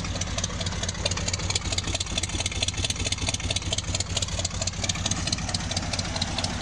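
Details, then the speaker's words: 1972 Ford F100 just after swapping a bad 300 inline-six for a 302 V8, started with the key. Even steady V8 idle with regular loping beat, no knocks, ticks or misfires; normal idle. "yeah she's running smooth as eggs sounds [Music] good"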